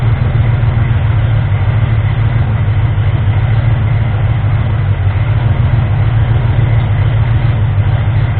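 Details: Ford 351M V8 with a misfire and rough idle, after the distributor was moved slightly. Deep, fairly steady idle with slight unevenness left. Smoother now, but the owner suspects the ignition timing is still off; the balancer timing ring had spun. Not confirmed.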